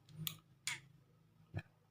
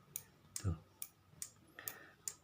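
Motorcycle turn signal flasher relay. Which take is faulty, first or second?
first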